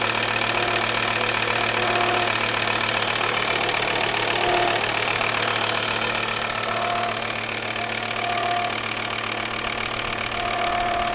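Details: Volvo V70 diesel (TDI) idling steadily with a regular light knock of about four beats per second over the diesel clatter; strange noise, cause unknown.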